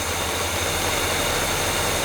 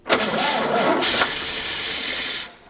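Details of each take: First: Restored GMC 3500 pickup with Quadrajet carburetor, after correcting a wrongly fitted carburetor base plate: low, even V8 burble at steady idle with no misses or knocks; solid running motor, normal idle. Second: GMC 3500 long-bed pickup, sitting since 1995, being brought back: engine catches briefly with a loud, even hiss that stops when it dies; vacuum leak, later traced toward the vacuum advance.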